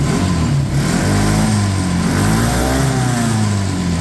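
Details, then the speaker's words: Auction go-kart back running after fuel system cleanup and rewired crumbling connector housings; small engine revs up and settles cleanly, even firing with no misses, rattles or hesitation; normal running, possibly better than the red kart. "Honestly, probably runs a little better than the red one."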